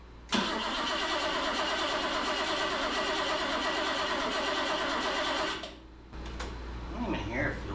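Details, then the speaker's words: 1977 BMW 530i sitting 7 years, quarter tank of fuel: starter cranks evenly about five seconds with no firing, crank no start; fuel pump not heard running, spark not yet checked. "we still don't know if we have spark but I don't hear a fuel I don't hear the fuel pump"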